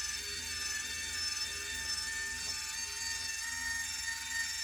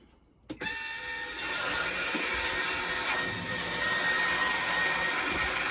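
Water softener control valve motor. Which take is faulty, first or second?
first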